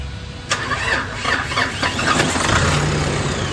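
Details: Nissan Navara that would not start, after the fix: short crank, catches within half a second and settles into an even, steady idle with no misses or knocks.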